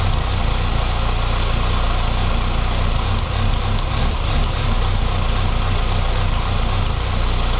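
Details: 2006 Saab 9-3 2.0T after an engine rebuild: an uneven, lumpy idle with a wavering low throb; it runs great with throttle. Rough idle, possibly vacuum-related, unconfirmed.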